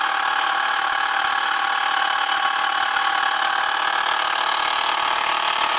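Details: 2006 BMW 530i, 125,000 miles: light steady ticking about three per second at idle, started six months ago and not worsening, seemingly from the alternator area; owner unsure if alternator, belt tensioner, pulley or vacuum pump, not valves.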